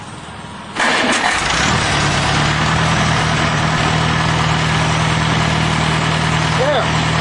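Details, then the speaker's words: Farmall Cub tractor after static timing the magneto, started at about half throttle with no choke: catches on the first pull and settles straight into a steady, even idle with no stumbling; ignition timing correct. "now the tractor should start start and run here we go make sure that you're on about half throttle I shouldn't eat any choke"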